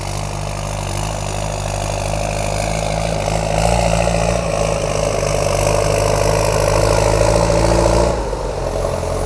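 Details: M7040 tractor with a heavy-duty turbo kit built to run quietly: even diesel rumble that climbs with revs then drops back, with no turbo whistle or whine. Normal, healthy running.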